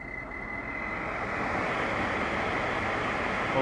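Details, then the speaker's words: 2008 Mercedes-Benz CLS 550, old AC blower motor under the passenger-side glovebox: a thin squeal that rises and falls with fan speed and is partly masked by airflow. It was oiled once before, then replaced. "you can hear it the squealing and squelching increases and decreases but it's it's just in line increase the AC here"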